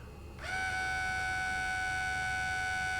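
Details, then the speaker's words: Compaq Armada 4120T laptop floppy disk drive: a steady high whine rises in pitch as the motor spins up, then holds flat; the drive belt is slipping and the drive needs a belt change. "i think the belt's gone"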